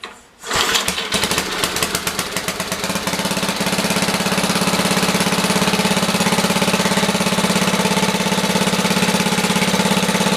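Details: Briggs & Stratton 5HP generator after rusty tank and dirty carburetor cleanup, no load, governor reset: rough catch, then a steady even beat running slow, estimated about 2,500 rpm versus about 3,600 wanted (61 Hz target).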